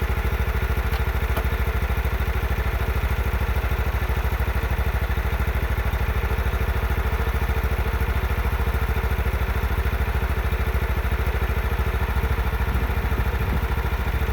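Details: John Deere 16 HP mower (140 psi compression) after the carburetor was refitted, air filter off: steady even putter around 200 beats a minute with no misses or surging; running normally.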